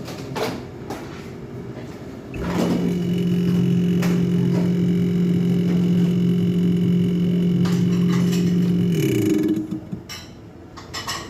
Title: midea fridge, fan making noise due to block ice